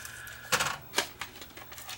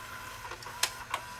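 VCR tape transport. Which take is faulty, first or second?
first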